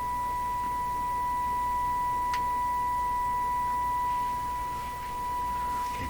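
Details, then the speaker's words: Nordmende Caruso console radio during FM alignment checks, fed a 1 kHz tone from a signal generator; steady pure tone with no buzz, hum, crackle or audible distortion, reproduced cleanly. "my ear that sounds really quite fine [Music] well i can't see i could hear anything that i would qualify as distortion listening to a single tone like that"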